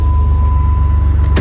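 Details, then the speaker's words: Used 4.0 straight-six, about 100,000 miles, possibly with a 4.2 crank, starts right up: strong, even low rumble with no ticking or knocking; runs perfectly, sounds healthy. "Starts right up. Still running great. No noise from the motor. No knocking, none of that. Sounds absolutely awesome, guys."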